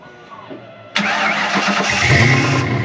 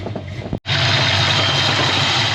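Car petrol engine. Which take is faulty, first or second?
first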